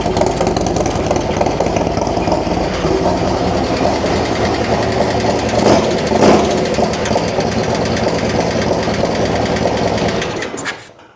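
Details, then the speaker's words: 2024 Harley-Davidson Road Glide Milwaukee-Eight, first cold start after Stage 2 with Cyclorama 484 cam and Fuelmoto Jackpot XXX Extreme exhaust, air cleaner off: loud choppy cam-lope idle, steady with no knock or tick, then shut off. "And then we're going to do a first time startup cold. And you're going to hear what the bike sounds like."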